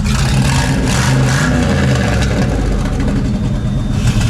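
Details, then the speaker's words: LS 6-litre mega truck engine revving after its injectors were cleaned with brake clean and WD-40: rough, uneven revving with popping instead of a clean climb. Owner suspects one cylinder hiccuping and the engine loading up, then it stalls. Misfire, unconfirmed. "Now I think we still got one hicking up here a little bit, but it'll run enough for it to hopefully clear out."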